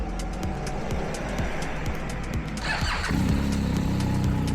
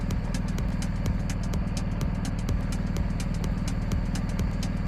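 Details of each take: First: BMW R1250 GSA that won't start when hot. Starter turns the engine over unevenly and laboriously for about three seconds before it catches; voltage drops to about 9.6–9.7 V while cranking. Slow cranking from a weak battery; charging system is fine at about 14.3 V. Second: BMW R1250 GSA with hot-start no-start traced to weak battery (dropped to 9.62 V cranking), charging about 14.3 V at idle; even steady idle pulse, no misses; normal idle.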